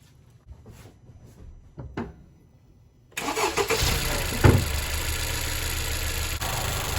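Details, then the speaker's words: 2018 Honda CR-V, no-start with click-click at gas station, battery measured below 9 volts. Quiet attempts, then cranks and catches into a steady idle once jump-started with a portable jump starter; weak battery, alternator then checked and fine. "So yeah, it looks like we have a battery issue. Let's get her jump started."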